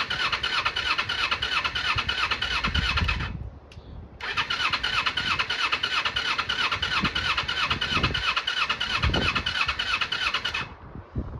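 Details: 1995 Kawasaki Eliminator EL250 motorcycle, long laid up, fresh fuel just run into the carbs, firing and running on choke with an uneven, lumpy beat around three pulses a second that drops out briefly; rough cold running, owner suspects the spark plugs.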